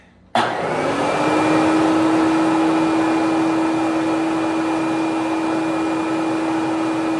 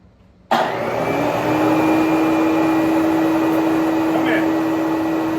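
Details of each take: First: Bissell Big Green Machine carpet cleaner, pump just replaced, cover off, water tank filled: steady motor drone with constant mid tone and no change when spray triggered, no water flow; suspected failed spray solenoid. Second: Bissell Big Green Machine carpet cleaner after replacing a tiny spray solenoid part, tested with cover off: motor starts abruptly and settles into an even, steady hum with constant whine, no knocks or surging; water now flowing, runs normally.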